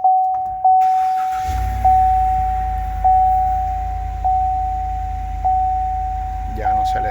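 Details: 2020 Chevrolet Suburban 6.2 V8 with a slight idle misfire traced to carbon-fouled plugs from the wrong fuel grade: engine catches and settles into a steady, even idle under a repeating door chime, no start-up tremble.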